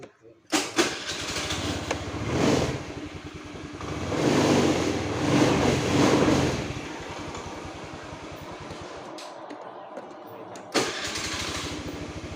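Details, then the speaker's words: Honda Click 110i scooter, which wouldn't electric-start, reassembled after a starter/relay check: catches at once, revs cleanly a few times and settles to a smooth, steady idle with no misses. "นี้ก็จะประกอบกลับเข้าที่เดิมเดี๋ยวเรามาลองสตาร์ทดูหลังจากที่ประกอบเสร็จนะมาดู"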